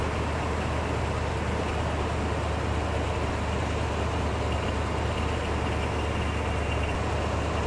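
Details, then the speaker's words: DeWalt DXAEPS14 jump-started V8 that had not been started in months, catching on the second try: a steady, even low rumble at smooth idle with no knocks or misses. Normal, healthy idle. "So now we've got a running engine. Took 2 tries to do that, but this thing hasn't been started in months."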